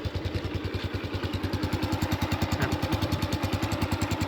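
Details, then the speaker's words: Honda Wave 110i after an engine rebuild, microphone close up at idle: a small single with a quiet, even thump about three times a second at steady speed, plus slight hissing from a cracked, leaking exhaust pipe. A normal idle. "นะมีเสียงท่อเอ่อท่อมันรั่วนิดหน่อยแค่นั้นเองเห็นรอยพ่อเป็นขาดนะมีเสียงมันก็มีลมรั่วออกไปๆเป็นปกตินะครับรถเก่าแล้ว"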